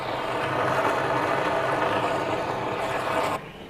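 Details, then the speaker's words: Display pump set from 1100 to 2000 rpm, water in basket, runs with a steady, even rush, then turns noticeably quieter once paper covers the air intake; normal pump running. "Now you can hear, it's much quieter. You can talk with the consumer, you can answer questions,"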